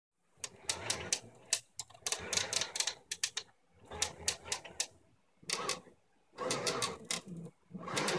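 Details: Ultimaker Original 3D printer, built September 2012, makes bursts of sharp, rapid clicks on both axes during movement that stop when motion pauses. The problem has persisted since it was built, and replacing the bearings didn't help. The owner suspects the wooden frame moving in its laser-cut slots.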